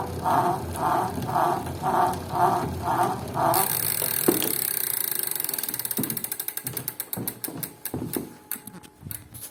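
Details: Tacx Flux 2 indoor bike trainer makes a strange rhythmic whooshing knock about twice a second while pedaling, then freewheel clicks slow down.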